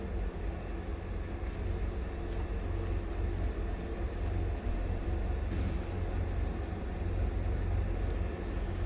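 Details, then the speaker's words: 1965 Ford E-100 Econoline pickup, 240 inline six: low, even rumble at idle with no knocks, misses or ticks; smooth and quiet, healthy idle. "smooth and quiet. Definitely one you're not going to see every day."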